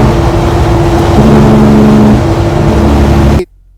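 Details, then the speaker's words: Tuned pre-DEF Kenworth T660, probably 2009, with Cummins ISX diesel: deep even drone with strong low rumble and steady tone until shutdown; normal healthy running. "Absolutely amazing. It had the traditional, it had a Cummins ISX, and it had that amazing tone to it. I loved how, it wasn't a very pretty truck, but damn it, did it sound good."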